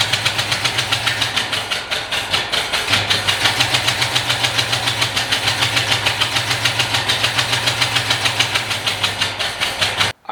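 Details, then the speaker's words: Carbureted Fox-body Mustang, not run for a while, started by pouring fuel into the carburetor: rough, lumpy running with uneven pulses about three per second, idle going very high, then cutting out. "Uh, as you could tell when we were starting it, it would run and it would idle just a little bit, but it would the idle would go super high and it w"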